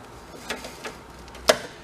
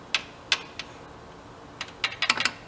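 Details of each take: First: Big Joe personal electric man lift: sharp dry relay clicks as power is switched on and off, the relay pulling in and opening normally; fired by hand while testing forward and reverse. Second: Broken Big Joe electric personal lift, motor possibly burned out, wired directly to a terminal; sharp isolated clicks, singles then a quick cluster, contactor pulls in but no motor hum and the motor never turns.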